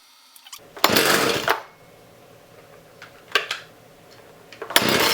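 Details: Partner 351 two-stroke chainsaw rescued from a recycling centre, started after a carburettor kit and new spark plug: three crisp throttle blips rev up cleanly and drop back to a steady idle, so the saw runs properly.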